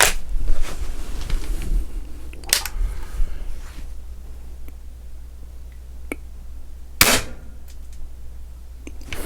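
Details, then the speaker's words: Beeman R9 .22 spring air rifle after repair and tune, firing dome pellets into a towel-stuffed pellet trap: a single sharp crack with a quick, clean decay and no wood knock, piston slap or twang. This is a smooth shot cycle. "right now I am very happy this is what a smooth tune gun is supposed to sound like not have wood knock and piston slap"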